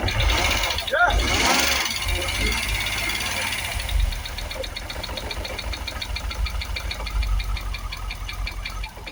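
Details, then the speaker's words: Jaguar XKR supercharged V8, first start after twin fuel pump replacement for a no-start; rough start then fast light metallic ticking over an uneven idle, running on only seven cylinders; knock from the supercharger. "we're running it's got that noise in the supercharger definitely not running on eight cylinders that we are running"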